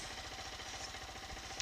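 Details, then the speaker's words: 2018 Honda CG 160 at about 13,000 km, with faint quick regular valve-like tapping at idle. Owner suspects a defective camshaft bearing from a faulty production series; the cause is unconfirmed. "eu senti que ela tá fazendo um barulhinho como se fosse barulho de válvula né"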